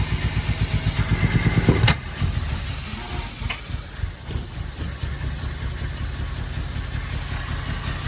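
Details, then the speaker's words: 1902 George Richards veteran car started with full choke after running erratically: uneven, stumbling idle with irregular pops and gaps, hunting and missing; owner suspects sooted-up spark plugs, to be cleaned on a plug cleaner. "So it's running like a bag of spanners, and I think the reason is the plugs are suttered up, so Mark's going to pull the plugs out now and we'll clean them on an old-fashioned plug cleaner that we've got."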